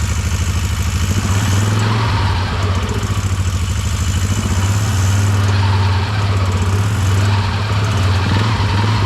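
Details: 2004 Bombardier Outlander 330 4x4 ATV started during clutch repair work: engine fires and settles into a steady, even low putter with no ticks or slipping noises; runs normally.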